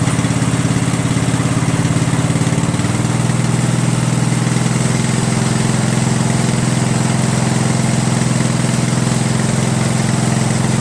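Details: Craftsman 13.5 mid rear engine riding mower, after deleting a fuel solenoid that opened and closed intermittently and hardwiring the magneto kill wire: catches on choke and settles into a steady, even low putter with no misses or knocks; running normally.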